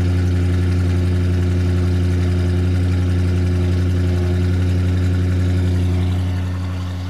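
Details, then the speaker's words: 1973 Mercury Marquis Brougham hardtop coupe, 460 V8, cold start on fast idle: deep, steady, super smooth V8 burble with no misses or ticks; one side of the exhaust heard; power steering belt needs tightening; normal idle. "let's start it up here it is cold so it'll be on fast idle foreign super smooth"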